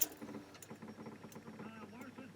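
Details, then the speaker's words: Jeep Liberty CRD diesel at startup: soft, regular clicks about every two-thirds of a second from an auxiliary fuel pump added between the fuel line and filter, because of air in the fuel and low stock fuel pressure. "there's kind of a clicking sound that's the auxiliary fuel pump so it gets uh it gets more fuel pressure"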